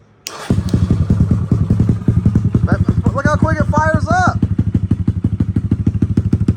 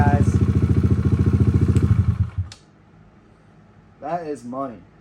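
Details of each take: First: Kawasaki KLX140 with stock carb, Big Gun exhaust and airbox mod, being rejetted: cold start settles into a loping, slightly uneven thump around three beats a second, chugging a little; owner suspects it is running slightly rich. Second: Kawasaki KLX140 with stock carb, Big Gun exhaust and airbox mod, after rejetting and setting the air-fuel screw for the cleanest idle, set slightly high: an even single-cylinder thump about 3.5 beats a second with no misses, a healthy idle.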